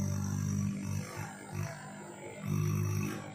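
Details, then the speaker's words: Samsung inverter AC with LG compressor on the bench after the PCB error cleared: low, steady compressor hum with gentle surges, no knocking or rattle; running, though reversed by swapped wiring. "और आप देख सकते हैं इसकी आवाज़ सुन सकते हैं, ये ऑन हो चुका है, ठीक है।"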